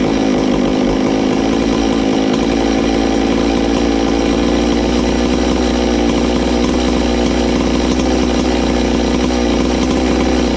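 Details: Ported Farmertec MS660 two-stroke chainsaw, 22 degrees blowdown, extra muffler cover port added, tuned with tach: loud steady scream flat out, no stutter or four-stroking, much louder, over 15 thousand rpm.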